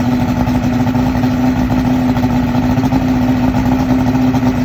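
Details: 2001 Yamaha OX66 150 HP outboard, remanufactured powerhead with 70 hours, on a hose: after fast idle rpm drops to 400-500 and nearly stalls, uneven burbling exhaust blurp; fuel rail steady at 36 psi.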